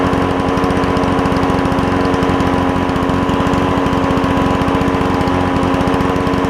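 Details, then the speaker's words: Toro push mower with a two-stroke Suzuki engine, first run after carburetor cleaning: crisp, even high-pitched buzz at steady speed with no misses or surging, sounding like a marine outboard. Normal running. "it sounds like a marine outboard as opposed to a lawnmower doesn't it but cool sound cool sound"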